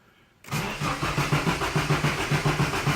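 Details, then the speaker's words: Nissan S14 240SX KA24 engine, with fuel drained from the lines for a fuel filter install, cranks evenly at about 3.5 turns a second but never tries to fire; crank no start, no fuel. "no it's not even trying to fire up so all righty looks like we got all of the fuel um out of that motor"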